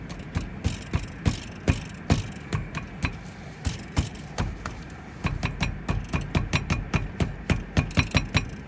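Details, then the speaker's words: Peugeot 308 SW T9 HDI front caliper, wheel removed, heard as a knock from under the windscreen: sharp hollow metallic knocks two to three a second, unevenly spaced; worn caliper guides or their bores suspected, guide replacement decided. "Что может стучать в суппорте правильно направляющий был ещё конечно вариант что изношены и направляющие и посадочные отверстия под них"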